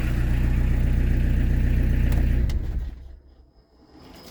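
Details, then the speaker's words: Peugeot 205 turbodiesel with a modified Motorpal 4M injection pump: an even clatter until a homemade vacuum stop cuts the engine, then a faint whistle as the ceramic-bearing turbo spins down freely; normal. "toujours le turbo qui tourne on entend turbo qui tourne ce roulement céramique bordel bon impeccable"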